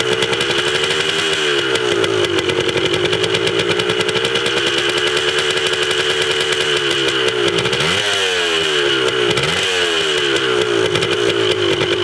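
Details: 1980 Yamaha DT/GT 125 Enduro two-stroke warming up after its first start. A crisp, high, buzzy ring-ding idle takes a couple of throttle blips and settles back. It sounds healthy, though the carb probably still needs cleaning.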